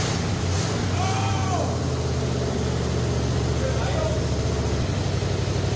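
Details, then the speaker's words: 1965 Ford Galaxie 500 with freshly rebuilt 390 FE V8, first start with no coolant and water pump leaking: deep, loud, uneven rough idle, running but not smoothly; rough sound near one side suspected from a broken part, not confirmed. "see that be honest it doesn't sound good at all but it's running and success is running right now"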